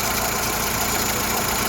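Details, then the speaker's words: Vandalised salvage VW Golf Mk6 bought at auction, oil levels fine: a steady, even idle hum with no knocks, misses or rattles; the engine sounds brilliant and healthy. "but I could say this engine really good your sounds brilliant"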